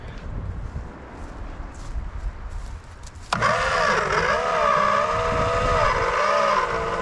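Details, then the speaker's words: 1962 Plymouth Valiant Slant Six, long-dormant, cranked with a starter jumper; sluggish wavering starter whine that sags each compression stroke, never fires; battery suspected dead: slow cranking. "slowly that battery may be dead okay it does spin over let me find a better battery we'll continue"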